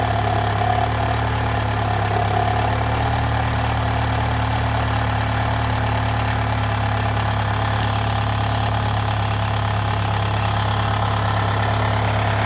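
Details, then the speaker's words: 2011 Chevy Malibu 2.4L Ecotec idling after cam phaser/cam sensor work, sounding better than before; loose, uneven rattle about two per second over the engine, cam chain noise; timing chain rattle. "Um, believe it or not, this is actually better sounding than uh it did before. Just don't pay attention to that cam chain noise."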